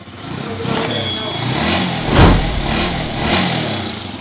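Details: TMX155 single-cylinder motorcycle converted to 5-speed, idling with light blips after follower and push rod replacement, exhaust covered; earlier clattery, now smooth and even with no knocking. Timing gear and connecting rod bearings also to be replaced.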